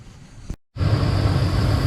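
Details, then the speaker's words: 2012 Ram 1500 Hemi V8 started after sitting unused all spring and summer; after a short gap it fires into a deep, rough idle with a low growl; owner suspects a vacuum leak or dirt in the water pump. "yeah you can hear some growling going on it's either a vacuum leak or uh some dirt"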